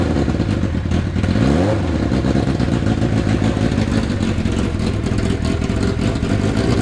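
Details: Neglected Hayabusa engine on a jerry-rigged setup after replacing a couple of injectors, injection light now out: catches and runs on, revving up and settling without misfire or knock, healthy.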